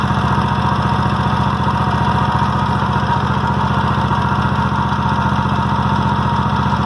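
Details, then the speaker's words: Toro walk-behind mower with 3000 hours, plugs only cleaned and no carburetor problems: steady, even firing at about four beats a second at idle with no misses, knocks or surging; healthy running. "I'll start it up for y'all. Y'all can hear how it runs and idles."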